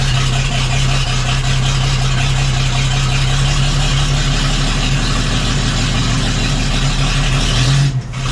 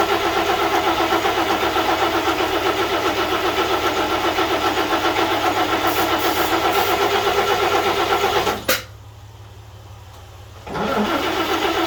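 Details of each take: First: 1941 GMC one-ton pickup, 230ci straight-six, first start after 15–20 years sitting, fuel purged to the carburetor, started without choke: steady, even, slightly fast high idle with no misses, running normally. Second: 1941 GMC one-ton pickup, 230ci straight six, first start attempts with the fuel pump not yet hooked up, so the carb is hand-fed. It runs evenly about eight seconds, then abruptly dies and briefly refires: stalling from fuel starvation.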